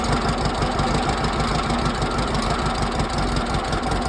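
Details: 1968 air-cooled Volkswagen flat-four bought used, first start on squirted gas: catches and settles into a steady loud idle, about three beats per second, no sharp valve tapping; normal idle.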